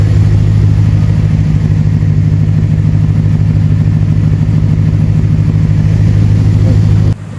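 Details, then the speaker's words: 2nd-gen Ram 1500 after replacing a squeaky serpentine belt: steady low engine drone with no chirp or squeal; new belt runs quiet, normal running. "Well, as you can see, we're not squeaking. We are not squeaking."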